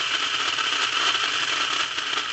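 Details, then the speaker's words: Lionel plastic-case Scout motor in a #1110 2-4-2 locomotive, about seven decades old, run on DC and cranked up: high fast whir with crackly gritty buzz; gears sound dry and significant arcing inside the motor, likely from dirty brushes or commutator face. "and so one it sounds like my gears are a little dry and secondly I'm hearing a sound that tells me that there's significant arcing going on inside the motor that's most likely due to dirty brushes or common commutator face"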